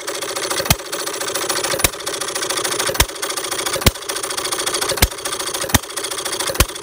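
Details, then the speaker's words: Perkins vertical air-cooled side-shaft hit-and-miss scale model engine, 9-inch flywheels, fuel mixture set almost straight back from the stop, running on single intake gulps: sharp firing pops about once a second, slightly uneven spacing, coasting clatter between; normal governing. "I have it running right now just like I like to have these things running as far as it pretty much always taking in just one gulp of air or your intake charge in the fires"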